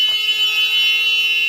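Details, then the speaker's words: School bus pre-trip check of the side emergency door: opening it sounds a continuous shrill high-pitched buzzer and the light comes on; the door alarm works as it should. "If we have somebody that plays with the door while we're en route, we get a buzzer and the light comes on. The buzzer is more attention getting, I think, than the light."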